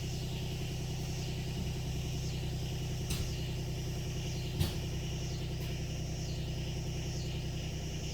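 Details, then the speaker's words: 2019 John Deere XUV 865R Gator diesel, first start after replacing burned synchronous drive belt (M174096): steady low diesel clatter at idle, even with no knocks or slipping; idling normally. "Let's see if we can crank the thing without it taking off somewhere. So far, so good."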